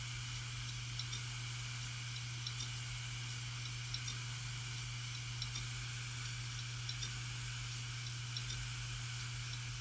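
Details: Seagate hard disk drive that suddenly failed, all data lost: faint tick every few seconds over steady hum, about twenty per minute, slightly uneven; repeated clicking, cause unknown.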